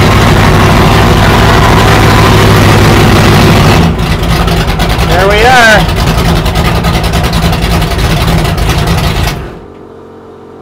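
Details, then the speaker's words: 1969 Plymouth Barracuda 440 V8 after fuel problem sorted, fuel pressure about 8 psi and good oil pressure: idles loud and steady with an even lumpy beat, no knocks or ticks, then shuts off cleanly; back to normal. "so we've got fuel pump or fuel pressure we got everything so she's back to normal"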